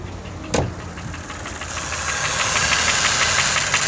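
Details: Toyota 1KR-FE engine with new timing chain, tensioner and guide: steady tapping knock about three times a second over idle, louder as revs build; cause unknown.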